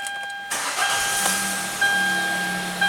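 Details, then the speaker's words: Hyundai Elantra GT with intermittent no-start, after sitting a while, following contact enhancer on the spread crank sensor connector pins: brief crank, catches cleanly at once and settles into a quiet even idle; starts normally. "okay that's good starting no problem now let's do one more time"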